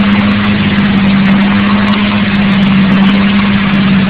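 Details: KLDE V6 idling loudly and steadily with a deep dull knock in the low drone; owner suspects rod knock, not confirmed.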